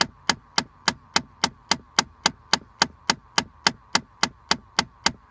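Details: 2013 Chrysler 200: loud, sharp, evenly spaced clicking about three and a half per second behind glovebox near cabin air filter, constant even after sitting parked; cause not pinned down.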